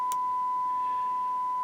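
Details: Harman Kardon 900+ multichannel receiver after capacitor and resistor restoration, drawing about 48–49 W with a signal fed in: a clean, steady single-pitch test tone with brief clicks at the edges; the channel, dead on the left before repair, now passes signal.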